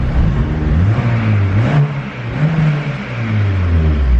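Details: Turbo K24 Civic EP3 running E85, with 1500cc injector data loaded: several quick blips climb and drop with a smooth, even note and no hesitation or misfire, revving freely and healthy.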